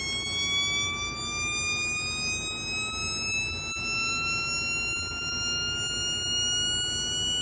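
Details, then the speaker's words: Homemade 1972 siren oscillator with an out-of-spec 470 µF timing capacitor: clean wail climbs very slowly and evenly for several seconds; far too slow for police-style, more like a civil defense siren. "hmm not a police siren but but it would make a decent civil defense siren"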